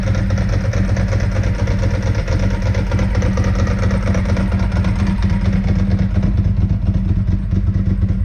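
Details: 2002 Ducati 748 V-twin, crashed and neglected, first start after fuel pump and fuel level sender wiring repair and new internal tank hoses: deep, even idle with steady low thump, no misses; normal idle.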